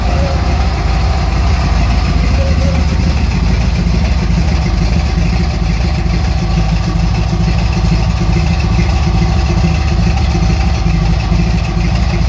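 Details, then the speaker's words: 1964 GMC truck: loud, lumpy, slightly uneven idle with no knock, running rich and loading up because the big Carter fuel pump delivers too much pressure to the carburetor; owner plans a fuel pressure regulator. "this big old carter pump is just shoving away too much fuel into that carburetor and it is not too happy so it tends to load up a little pretty easily"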